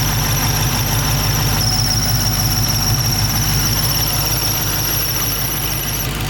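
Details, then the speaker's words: Hellcat 6.2 V8 with under 6,000 miles, after coolant was spilled on the pulleys: steady piercing squeal at a fixed pitch over a lumpy idle; owner suspects the idler pulley, cause not confirmed. "That does not sound too good. But it's probably one of the pulleys, just like maybe the water kind of messed it up a little bit."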